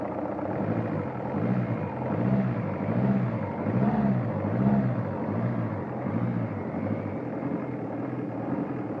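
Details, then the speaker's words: Toyota Vista 2C diesel idling: rough, uneven pulsing knock about once a second over the clatter, coming from somewhere up top; the owner cannot tell where it comes from. "Вот какой-то стук идет, не могу понять откуда."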